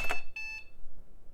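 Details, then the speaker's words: AST Advantage Adventure 466 486 desktop: single short high beep after pressing Ctrl-Alt-plus to toggle turbo mode, acknowledging the switch, though the reported clock speed did not change. "toggling turbo mode is usually Control Alt plus okay that sounded affirming and to toggle it off it's Control Alt minus usually okay that seems legit"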